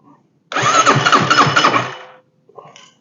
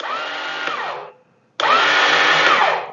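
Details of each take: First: Chinese clone of a Suzuki King Quad ATV after starter clutch replacement, engine casing off, cranked with ignition off. Cranking is even and steady at about four pulses a second with no grinding or slipping; the new starter clutch engages properly. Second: Chinese clone of a Suzuki King Quad: two bursts of high, rising whir spinning freely with no cranking; the starter motor turns but nothing engages, typical of a failed starter clutch.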